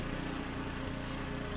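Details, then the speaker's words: Husqvarna ST 124 24-inch snowblower with 212cc engine running steady with an even putter, no surging, while blowing snow well after a clogged governor jet in the carburetor was cleaned; normal running. "the snowblower, it's only a 212cc, but as you can see, it's blowing snow really well."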